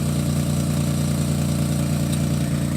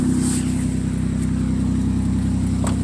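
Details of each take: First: 2006 Chevy Equinox just after muffler replacement with new exhaust clamps: steady, even low idle rumble with no rattles, hiss or leaks; normal idle. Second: 2006 Chevy Equinox before repair, old muffler (possibly original) broken: loud, deep blatting exhaust drone swelling as revs rise; exhaust leak, fixed by muffler replacement.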